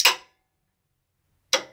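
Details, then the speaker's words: Renault Clio 3 1.5 dCi, engine off, A/C compressor clutch energized via test circuit with 10 A fuse: two sharp clean metallic clacks about 1.5 s apart, clutch engaging normally. "on entend le clic plutôt le claque de l'embrayage du compresseur ici là."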